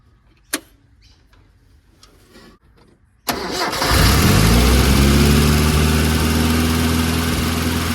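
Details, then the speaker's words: Mitsubishi Pajero 4G54 with Weber carburettor, rocker cover refitted: cranks, catches, settles into a fast steady idle that never drops; throttle stuck open, idle too high; timing later found miles out with chain tension lost. "Too high. The throttle stuck."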